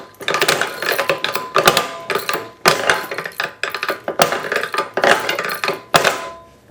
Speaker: Sounds pretty big. Hear that? Just skipped over a bunch of teeth.